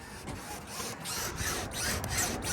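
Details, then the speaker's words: Older Grand Design RV trailer: rough rasping, squeaking and rubbing as the loose rear wall is wiggled back and forth; the rear J metal has broken off, welds are torn loose and one screw has broken loose, cause unknown. "But, so all these welds are torn loose. There's one screw that's broke loose. And if you can hear the squeaking and the shifting of the wall."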